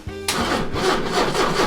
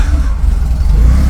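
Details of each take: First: 40-year-old Porsche 944 cranking steadily at about three compression beats a second but never catching. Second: 40-year-old Porsche 944 that would not start, after fuel pump reinstalled following four days of work: catches to a deep steady even rumble; fuel pump was healthy, fault was the relay.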